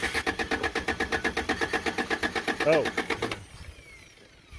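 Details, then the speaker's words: 1987 Toyota pickup (Hilux 2WD) 22R cranks with an even starter chug, about four beats a second, but never fires. There is no spark because the distributor rotor was left out after cleaning the cap contacts; the cap and rotor are suspected bad. "we've run apart it's not gonna do real good without that double hashtag fail you need this for it to run"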